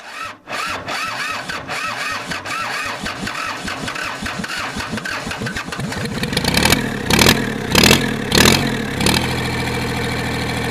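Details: Kubota L2500 diesel tractor, revived after sitting, started on starting fluid and brake cleaner: slow uneven cranking catches with loud ragged firing bursts, then settles into a rough unsteady run; hard starting and rough running.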